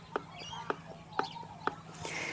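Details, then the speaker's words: Mercane WideWheel electric scooter steering stem checked with the wheel held down and the bars rocked by hand: four sharp metallic clunks about half a second apart, showing free play in the steering stem that the owner fears may let go and break. "you can hear that's and feel that with your fingers that that's that's got some free play in there"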